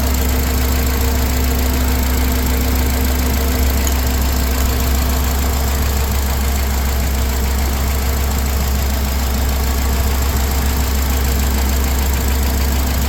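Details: 2004 Honda Accord after replacing the failed ignition coil that caused rough running and no-start: steady even low rumble with no stumbles or misses; check engine light out, smooth idle, some oil burning off.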